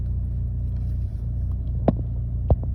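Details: 2008 Chevy Malibu at idle: low, uneven throb with a couple of sharp stumbles in under three seconds; rough idle, owner also notes rough acceleration, cause unknown.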